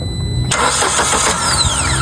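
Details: 2015 Kia Picanto manual, cranks but won't start, no scan codes: steady even starter cranking never catching; no fuel delivered, fuel pump getting no power from relay on key-on.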